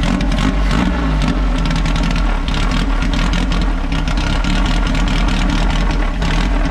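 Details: VW Baja Beetle air-cooled flat-four, after a sticky throttle cable was lubed and adjusted and the choke adjusted, catches and settles into an even, steady run with clean throttle response and no misses; normal running.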